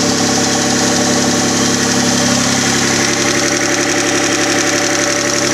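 Engine idling with a fairly regular knock, roughly four per second, coming through the running noise; a knock from inside the engine. Cause suspected, not confirmed.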